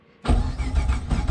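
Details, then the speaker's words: 7.0 L (427 cu in) LSX engine, wired up with the ECU on, fuel not hooked up and broken coil packs awaiting replacement: the starter turns it over in a steady, uneven churn and it never catches, since no fuel is reaching it. "uh oh yeah i can also uh i can turn it over but like it obviously won't start because there's no"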